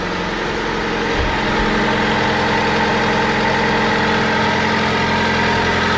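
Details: Older Honda with check engine code P0135 (needs an O2 sensor), running pretty well: a smooth, steady idle with an even low hum and no knocks, ticks or misses. Quiet and healthy.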